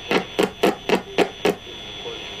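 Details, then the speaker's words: Poorly tuned radio giving a steady high whistle, with six sharp crackles about four a second as sparks produce radio interference pops. "That's why lightning makes radios crackle, and even the tiny spark inside a lightswitch is enough to produce a little 'pop'"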